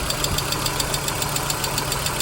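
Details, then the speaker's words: 1997 Volvo 850 idling the morning after a short run: light, quick metallic ticking in time with the engine, not injector noise; owner suspects a hydraulic lifter tap, which stops once driven hard, with no oil pressure light. "that's not injector doing it doesn't sound like injector noise to me that that to me it sounds like the slap of a little hydraulic piston in there"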